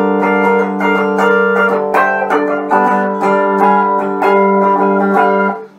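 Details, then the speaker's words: Cheap electric guitar tuned open G with light strings and action set too low: strummed chords carry a thin rattly buzz from strings catching on high frets, before the bridge was raised. "You can hear that rattle there, and down here, catching on frets. It's not a very clean sound."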